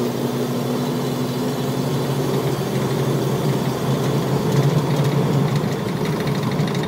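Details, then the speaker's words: 2006 Jeep Wrangler Sport mail truck accelerating on a smooth road: a smooth, steady engine note pulling evenly with no knocks or misses, apart from a loose window flapping and rattling; a healthy engine. "wow that's great running truck I love this"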